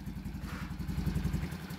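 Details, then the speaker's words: Rider motorcycle single-cylinder, 8 years old, after top overhaul and 6002 inner bearing and clutch primary spacer replacement: even low idle putter, the earlier whistle now gone, quiet and healthy. "Oh, yan, no? Wala na yung parang sumisipol, no? Oh, yan, no? Tahimik na."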